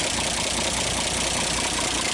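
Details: 1939 Chevrolet Master, first start in 48 years, carburetor not rebuilt: steady, even idle with a fast regular patter and no misses or heavy knocks; runs surprisingly well, some black smoke when revved.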